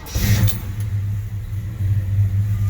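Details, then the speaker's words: 1968 Chevy C10 with relocated fuel tank, cold start after sitting about 5 days, fuel pump primed first; quick catch after a short crank, steady even low rumble with no misses, good oil pressure. "We got good oil pressure. Go ahead and a little cold natured, back this thing out."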